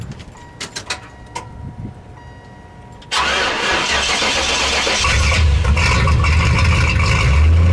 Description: hard to start and has a slight miss under acceleration but not always WTF.